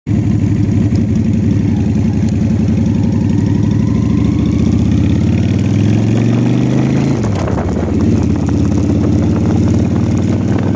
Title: Honda Shadow Whining Sound #projectbike